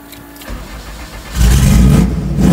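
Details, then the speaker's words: Honda CRX with aggressive cam, slightly warmed up, after new spark plugs: restart settles into lumpy, uneven idle that stumbles and once shut off; misfiring even at idle, owner suspects non-mechanical cause as it once cleared up while driving. "Well, it warmed up a little bit, but even at idle, it's misfiring. Let me show you. And that's not just the aggressive cam."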